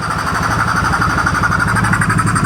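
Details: 2014 Polaris Sportsman ATV left sitting for years after being reported as a blown motor, now with a new battery and replaced ignition switch. Steady single-cylinder thump at a quick even idle with regular exhaust pulses and no knocks: normal idle.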